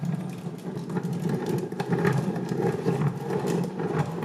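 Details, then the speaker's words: Mazdaspeed 3 transmission with engine removed, spun through gears: rough uneven whir with scattered metallic ticks and rattles from loose metal inside, worsening through gears, worst in second or third; grinding and popping out of gears. "And then, I mean, it progressively gets worse. I think second or third gear was the worst."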